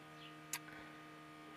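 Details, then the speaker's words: Steady electric hum that never drops out: the fuel pump keeps running with the key off and stops only at the battery isolator; owner suspects the ignition switch after a wire check failed. "і тут прикол такий що чуєте насос постійно Гуде і получається цим ключом що ди що сюди Воно короче не виключається"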